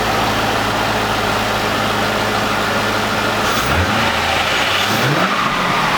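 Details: C5 Corvette V8, first start after 4+ months off, after harmonic balancer and front subframe replacement: smooth idle with clean revs, no knocks or misfires. Engine sounds healthy.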